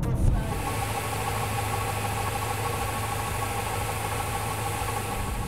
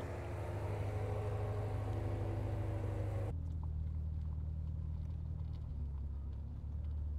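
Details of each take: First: BMW M6 at idle after a long road trip to a circuit: steady idle with a light metallic rattle beneath the engine note, diagnosed as coming from the flywheel. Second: BMW M6 driving after flywheel repair for a noise heard following a road trip, gearbox oil refilled, new downpipes fitted: smooth even engine drone, no clunks, rattles or grinding, noise gone, drivetrain feels more connected; normal running.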